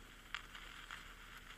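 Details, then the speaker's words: Ever Ready N3 radio under restoration; faint irregular crackling and hiss from the speaker while tuning, no station received, so the amplification stage probably works; speaker crackle with no reception. "As you can hear, there's faint crackling coming from the speaker. So one conclusion that we can already make is that the amplification stage of the radio probably works."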